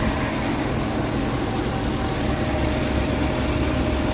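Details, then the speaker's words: BMW E36 328 petrol engine at cold start after replacing the timing chain tensioner spring and seal: previous cold-start chain rattle gone, faint steady high squeal remains, believed to come from the V-belt. "der hört sich ganz normal an jetzt beim Kaltstart wie gesagt vorher hat er etwas rumgezickt gehabt ein kleines quietschen haben wir aber das kommt von dem keilriem"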